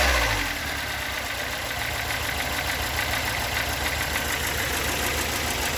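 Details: Toyota AE86 with stock bigport blue-top 4AGE, about 195,000 km on the replacement cluster, unmodified and regularly maintained, idling from cold to warm: uneven rough idle with a loose, irregular ticking knock about three per second over the engine hum; cause not yet located.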